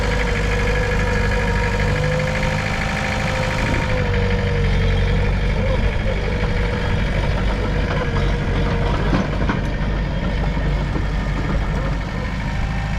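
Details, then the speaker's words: Mitsubishi BD2F dozer diesel pulling under its own power, first time moving in two or three years: steady, even rumble with no knocks or misses, engine healthy; normal running. "all right folks first time in two or three years this dude is fixed to move out of its own spot and its own power"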